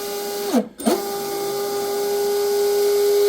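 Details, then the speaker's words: Deltaforce Vortex RC hydroplane with a new stuffing tube oiler block: the motor spins to a clean, steady whine with none of the chatter this boat usually has, the best it has ever sounded. "That sounds the best it's ever sounded. Actually, to be honest with you, usually this boat right here actually has a little chatter to it, right?"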